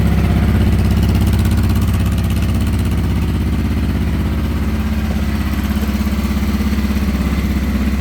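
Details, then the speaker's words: 1989 Honda Transalp 600V, ice-cold morning start, warmed about 30 seconds then choke halfway: steady, even low thump about 200 beats a minute, clean smooth warm-up idle with no knocks; normal. "So I usually let it warm up for about 30 seconds, and then I put the choke down halfway."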